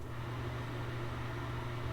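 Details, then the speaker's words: Old builder-grade bathroom ceiling exhaust fan before replacement: steady, loud low hum and rushing drone, much noisier than it should be. "Basically, this thing's $40. It makes a lot of noise."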